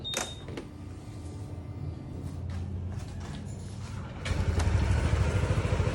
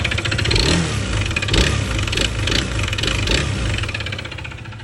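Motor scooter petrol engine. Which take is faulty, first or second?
second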